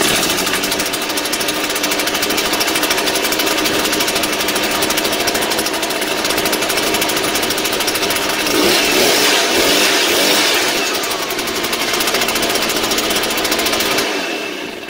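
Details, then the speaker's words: Shindaiwa EB803 two-stroke engine blower after repair of a no-start (sand in carburetor cleaned, new diaphragm, new spark plug): high, buzzy drone with strong air rush, steady for fourteen seconds before shutoff; running normally again. "Bằng cách này, lỗi kẹt quạt gió động cơ 'Shindaiwa EB 803' đã được sửa chữa và hoạt động trở lại."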